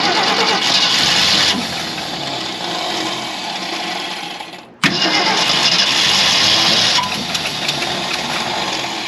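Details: 1965 Ford Galaxie 500, after its plugged fuel filter was replaced: the starter whirs for several seconds, stops and cranks again without catching. The carb has sat for an unknown time.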